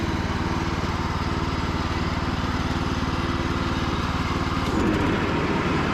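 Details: Free Cub Cadet riding mower after 3+ years sitting, charging system fixed, final test run: single-cylinder engine runs smooth and even at steady speed, about three beats a second, no knocks. Normal running.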